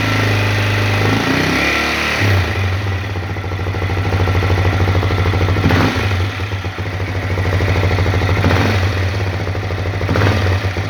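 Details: Honda CRF250L single-cylinder: fast uneven knocking about three per second over a low thumping idle with a few revs in between; engine knock of unknown cause.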